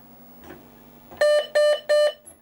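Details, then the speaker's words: Amstrad PC1512 DD CM booting with both floppy drives in after both were freed up: faint drive clicks, then three short even beeps with no error tones. It boots cleanly and asks for a floppy. "it's making all the right noises so yeah so it has uh not gone to an error message"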